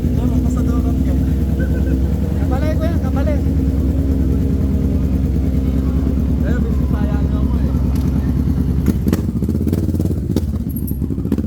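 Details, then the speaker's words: Kawasaki Ninja 650 before backfire removal: uneven engine with sharp loud pops from the exhaust as revs drop off, backfiring on deceleration. "Ang lakas ng backfire niya. Lakas ng backfire guys."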